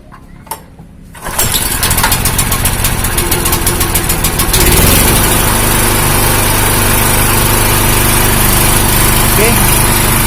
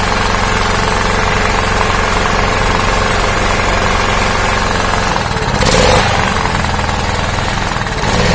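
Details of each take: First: Honda GX160 engine on a 2000-watt generator hunting at idle, speed rising and falling instead of holding steady, unchanged after the spark plug cap was swapped; surging of undetermined cause. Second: Honda GX160 engine on a 2000-watt generator, after fixing the ignition coil-to-magnet gap that caused hunting: small single-cylinder engine holds an even, steady thump with no rising and falling; normal steady idle.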